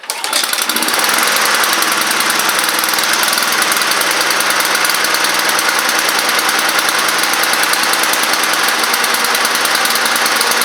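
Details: Honda Harmony II HRR216 push mower, neglected, after tightening leaking carburetor bowl: fires right up and holds a steady, high, even buzz with no surging or missing; normal running.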